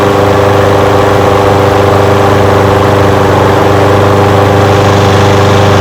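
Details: Old curbside Craftsman push mower with a Briggs engine, first run after revival: steady, fast, even single-cylinder firing beat at a constant tone, no stumbling or surging. It smokes a little. Windy outdoors. Normal idle.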